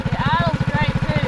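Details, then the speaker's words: Mini bike with swapped Harbor Freight Predator 212 engine, after warm-up off choke: crisp, even single-cylinder putt about thirteen beats a second, steady with no misses or hunting; clean healthy idle. "Hey, it's idling now."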